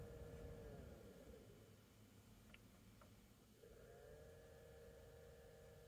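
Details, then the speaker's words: 2012 Chevy Equinox new HVAC blower motor tested at every speed before the cover goes back on; smooth, even whirr changing between fan speeds with no rattle, clicking or squeal. It comes on fast and sounds healthy. "so oh that is much better you hear how fast that came on"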